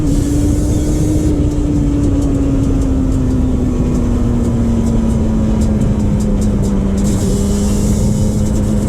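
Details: 2001 Yamaha Banshee 350 two-stroke on a POV test ride after new clamps fixed an exhaust leak: crisp, even buzz holding steady under load as revs ease down, no puffing or ticking from the exhaust. Normal running.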